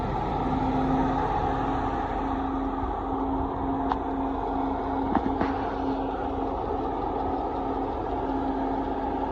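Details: Mercedes W140 with M119 engine: idling with a steady low whine that drops out and returns. The belt was suspected but ruled out, and hydraulic lifters are bought to test; the cause is still unknown.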